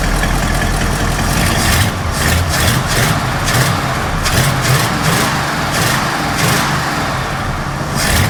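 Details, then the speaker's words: Ford F250 460 V8 after refitting the original Holley-for-Motorcraft carburetor in place of the Street Avenger: steady loping idle with no misses, knocks or hiss; starts and idles perfectly. "we've got the original Holley for motor craft carburetor back on it and she starts up idles runs just absolutely perfectly absolutely perfect"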